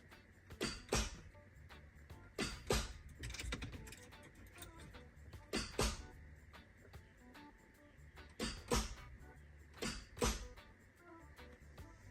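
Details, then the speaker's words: MK3 Toyota Supra 3.0L 24-valve after new starter installed: each key turn gives a click in the kick panel and a distinct click at the starter, then silence with no cranking. "So, you can hear a click in the in the kick panel. Then you can also hear a very distinct click on the starter."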